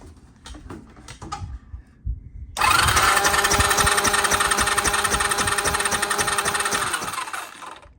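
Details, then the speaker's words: 1993 Honda Helix CN250, plug out, CDI flashing: steady fast cranking at about four strokes a second that never fires; no spark seen, CDI or coil suspected. "No spark. Don't see a thing."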